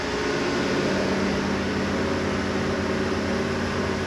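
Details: Fresh big-block engine on an engine dyno, second run: dense, even roar holding steady speed with no knocks or misses; normal running.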